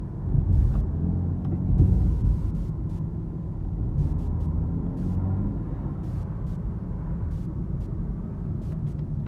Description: Sound gets worse with acceleration. Buzzing stops in when in neutral plus giving it gas. The heavier the load on the engine the louder the drone.